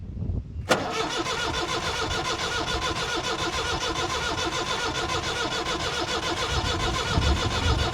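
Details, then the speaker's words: 1962 Lansing diesel forklift, no start: steady cranking a little over two beats a second with a thin squeal riding on it, engine never catches; suspected fuel problem, air found in the system after cracking the injectors. "I think if you ignore the squeal, it could just be fuel."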